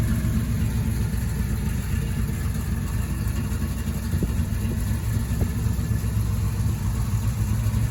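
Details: 1972 Chevrolet Camaro with a 383 stroker V8 and a hydraulic flat-tappet cam, sat since 2011, on its first drive in nine years; water temperature, oil pressure and charging are good. Deep, steady, even rumble with no knocks. Normal running.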